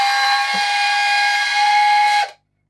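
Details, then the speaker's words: Addams Family Thing coin bank on two batteries, not grabbing coins and lift apparently stuck: a steady piercing high whine for about two seconds, then cutoff; dry, squealing little drive motor. "Wait, it's still doing that noise."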